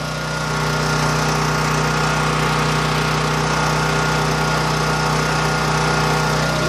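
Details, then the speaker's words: New Champion 9000 W dual-fuel generator 100165, 439 cc single-cylinder engine, zero hours, first start with no load, about 246 V and 61.8–61.9 Hz; steady fairly loud drone at one speed, no misses or hunting, normal. "this is a computer safe generator so I don't know how well you can hear it it's fairly loud I would say it's a decibel rating is probably accurate"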